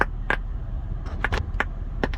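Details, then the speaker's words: 2008 Acura MDX with the engine off: sharp random pops and crackles from the speakers, mostly the center speaker, over a quiet background. The owner suspects a radio software patch or a bad amplifier; the cause is unconfirmed. "this is a 08 MDX um there seems to be some crackling popping noise coming from the center speaker mostly"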